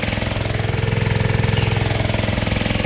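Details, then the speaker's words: Single-cylinder gold dredge pump engine running on fresh gas after refusing to run on nine-month-old fuel, oil not yet changed, warming up: even steady beat with firm low thump, no misses or hunting; runs cleanly. "brand new gas. Makes a hell of a difference."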